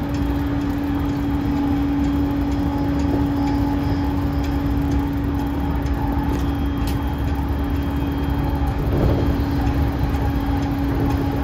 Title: モハE232-3011、車内空調機器故障で異音（2024.7.8.16:52）